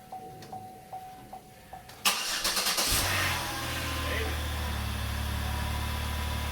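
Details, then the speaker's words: 2009 Chevrolet Impala from Copart on a reconditioned, boosted battery: a few chimes, a short crank, catches within a second and settles into a steady, even idle; owner says it runs good, with service airbag light on. "Man, she runs good too. It's a mighty 35."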